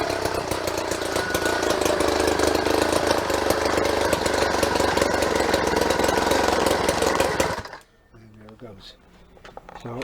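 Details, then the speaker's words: Motorized jackshaft build, small two-stroke engine: ragged, uneven buzz for several seconds then cuts out at idle; owner thinks it needs breaking in, and it restarts readily. "it's not liking the idle i guess you have to drive it around for a little while break it in whatever and get it to stay running after that"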